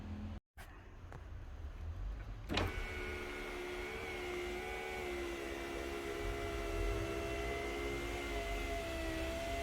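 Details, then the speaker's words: Sunroof glass moving: a thin, wavering squeal over the motor drone as dry glass rubs a hard rubber mount; the fix is a very thin layer of red or yellowish-brown lithium grease. "Okay, where did that squeak come from? Here. Okay, it came from here and here. So what you do is you apply a very thin layer of grease, very thin, alright, just to lubricate it"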